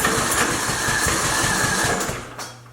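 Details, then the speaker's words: Craftsman LT2000 with a Briggs & Stratton 19.5 OHV engine that died while mowing under heavy use, half tank of fuel. Steady cranking with weak firing puffs that never catch. Spark seems present; the owner suspects a valve issue. "See, it's trying a little bit, so to me it sounds like we're getting some spark. It's possible that we could have a valve issue."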